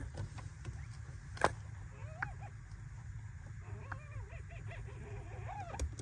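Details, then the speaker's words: 2023 Kia Forte GT, about 9,000 miles: short rubbery squeaks rising and falling each time the clutch pedal is released; squeaky clutch pedal, fixed with WD-40. "the only thing that I've ran into so far is a squeaky clutch"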